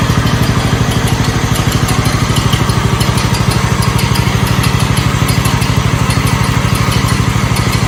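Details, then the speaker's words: 1969 Blue Patio lawn tractor after starter change: steady even single-cylinder putter with no misses or knocks at constant speed; runs much better than at first start, PTO still stuck engaged. "I can definitely say it runs a lot better now than it did when we first started it up man that sounds good"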